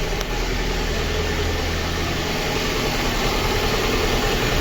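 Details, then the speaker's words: Lada Kalina 1.6 with a used swapped-in engine, slightly warmed, idles unevenly with a stumble about twice a second and a flashing check-engine light. Coolant is missing and boiling. Diagnostics flag cylinder 2; missing compression there is suspected, not confirmed. "Ми також чуємо вже пропуски по діагностиці у нас пише другий циліндр тому компресії Скоріш всього нема в другому циліндрі А тепер точно чути що він троїть"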